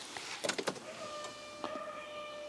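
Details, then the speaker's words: Land Rover Defender after EGR blanking, key on: a few clicks then thin steady constant-pitch whine from the loudly priming fuel pump, a known problem needing fixing. "so hear that sound this is my fuel pump this is something i have to fix as well on this defender a well-known problem"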